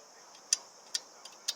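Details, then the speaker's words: Husqvarna 329L string trimmer with stuck recoil rope, cover off: four crisp, light clicks as the starter pawls spring back normally; pawls fine, rope tangled under the assist spring instead. "they're springing back good so that's not it"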